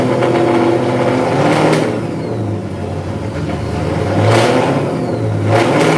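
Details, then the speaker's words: Supercharged engine started cold and not revved: a faint high blower whine rides on an uneven, wavering idle that is breaking up a little, running slightly rough while cold. "I don't know if you guys can hear the blower whine through the camera."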